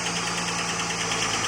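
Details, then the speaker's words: Holden VS Commodore ute L36 Ecotec V6, first start after camshaft swap with fresh 5 L oil and new filter: light fast ticking over steady idle as lifters not yet filled with oil; later runs smooth, no lump. Lifter tick. "That was the lifters have to get oil in them mate that's That's That's the idle"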